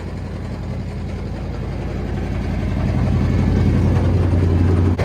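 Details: Long-parked engine on its first run after revival: deep, heavy bottom-end knocking as it revs and settles to idle; owner suspects several broken or spun rod bearings.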